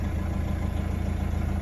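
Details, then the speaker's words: Nissan Navara NP300 diesel, being fixed for lack of power: after clearing fault codes, engine started and idles normally with a low, even rumble, no knock or misfire; a warning light still shows. "ได้สตาร์ทเครื่องดูครับว่าไฟเครื่องจะดับหรือไม่อ่าเครื่ดังปกตินะ"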